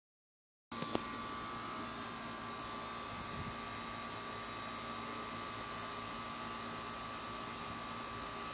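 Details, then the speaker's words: 2003 Carrier 38CKC-511 3-ton AC condenser with new fan motor and compressor, short cycling: silent, then sharp bang right at startup, like something hit the fan, then steady hum; cause unclear. "Holy shit, that just made a loud noise. Holy cow. That scared the crap out of me. That just made a really loud sound."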